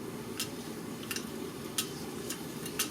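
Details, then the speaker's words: Honda CBR600F4i clutch basket turned by hand: sharp dry clicks about once a second, slightly uneven; the two smaller-section damper springs are knocking in their seats. "дело в том что это звук издают пружины демпферные то есть в моем случае это 1 и 2 те которые поменьше сечением"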